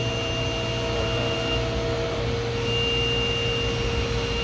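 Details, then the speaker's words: DMG Mori Seiki DMC 1035V vertical machining center, spindle replaced March 2022, runs daily, has cut only aluminum; spindle at 2,000 RPM, recorded as close as the door interlock allows: a smooth, steady whine with no grinding; healthy bearings. "It is running at 2,000 RPM right now, and we're about as close as I can get with the door interlock."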